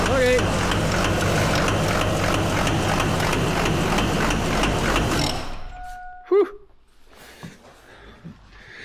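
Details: LB7 common-rail diesel with a fuel concern: harsh, rapid, even knocking of about 220 a minute over a loud idle until shutdown. At least one injector is stuck open, possibly more; testing is pending.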